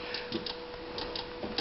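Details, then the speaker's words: 1992 Honda Civic no-start, engine not running: sharp dry ignition snaps at irregular gaps as the distributor is moved by hand; coil fires intermittently, damaged wiring suspected, cause not confirmed. "And like I said, just by moving that distributor around, I can get it to fire."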